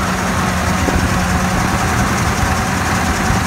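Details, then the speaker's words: 2014 Ford F-250 Super Duty 6.2 V8 with multiple-cylinder misfire and check engine light: rough lumpy idle with heavy knocking under the hood, traced to a broken exhaust valve spring. "I don't know if you can hear that a check engine light is on and man there's some serious knocking noise going on underneath the hood"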